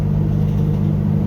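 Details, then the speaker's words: Pickup truck cold start about five hours later, after reconnecting the MAP sensor to the correct port: steady, even hum with a slightly fast beat, no misses; idling kind of high but smoothly, warning light not coming on. "it's idling kind of high light's not coming on"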